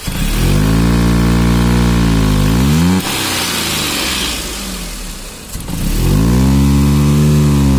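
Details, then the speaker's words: Maruti Suzuki Alto 800, 117,000 km, engine started and revved; revs climb, fall and sag nearly to stall before recovering; hesitation, engine not taking accelerator, pickup lost while running. "यहां पर देखिए जो accelerator है बिल्कुल भी नहीं लेगी गाड़ी"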